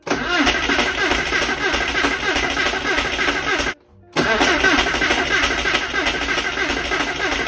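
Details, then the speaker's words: Flood-damaged Porsche 968 after a fuel-system flush, first start attempt. The starter churns the engine over steadily but it never fires; the fuel pump isn't running. The owner thinks parts he installed incorrectly are the likely cause. "yeah so it's not starting I think at least because I made a rookie mistake and that's to put these in incorrectly"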